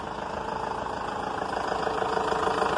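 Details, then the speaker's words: Renault Master 2.5 2013, G9U diesel, after repair replacing crankshaft, connecting rod, cylinder head and gaskets for a metallic noise: steady, even idle at 800–900 rpm, light normal clatter, no metallic knock; engine healthy. "pode ver olhar a marcha lenta dela 800 RPM 900"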